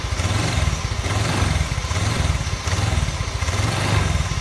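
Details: Honda Vario carburetor (Techno 110) scooter, older motorcycle: rough pulsing low rattle and judder from the CVT; bearings replaced first with only slight improvement, cause found as a worn rear pulley set.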